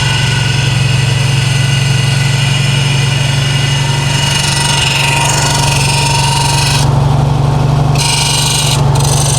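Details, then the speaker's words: 1968 VW Karmann Ghia, new 1600cc dual-port engine, cold start on high choke: fast, slightly uneven idle with a lumpy low beat, running rough until warm; cold idle oil pressure about 70 PSI, heat tubes not yet fitted, tuning still needed. "please obviously it's not going to leave sounding like that but cold idle about 70 PSI give or take so that's good"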